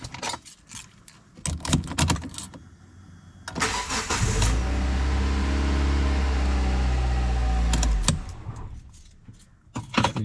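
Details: Hyundai i30 FD after ignition immobilizer antenna replacement for DTC P1693, which had caused long cranking before starting: short crank, catches at once and settles into an even, steady idle. Normal start.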